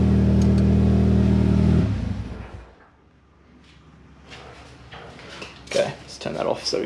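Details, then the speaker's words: Mitsubishi Evo X on 85 cold start right after fitting new NGK Iridium spark plugs: starts straight up, runs smooth and even for about two seconds, quite loud, no misfire or stumble; normal cold start idle. "so to start the car up it is on mostly 85 at the moment so it's gonna be a bit of a struggle to start i'm assuming being completely cold there we go started straight up"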